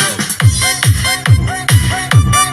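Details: Speaker repaired for distorted (cracked) sound, tested after repair through an amplifier from a USB source. A thumping dance beat around 140 per minute comes through clean and full, with no rubbing, buzzing or rattle from the cone.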